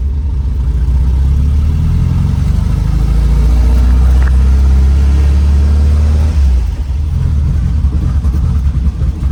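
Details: 1967 VW Type 3 Squareback, first drive after engine install, under acceleration: deep, throaty air-cooled drone builds smoothly under load then eases off, no knocks or misfires; runs as expected, normal healthy engine.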